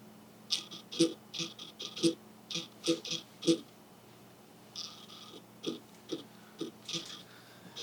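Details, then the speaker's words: Fujifilm XF 50mm F1 lens: quick bursts of loud high whirring, grinding and clicking as the autofocus motor hunts back and forth, also felt in hand while walking; loud but normal focus motor noise for this lens. "guys you want to hear how loud that grinding noise is like you cannot you can hear this and you can also feel this when you're walking around with it"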